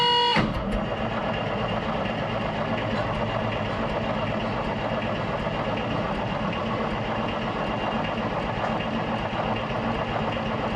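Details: Road grader with rebuilt Cummins 8.3 diesel after sitting, throttle held wide open, fuel shutoff solenoid energized: steady starter churning with even compression pulses about four per second, never catches; owner suspects gunked fuel leaving the pump without fuel.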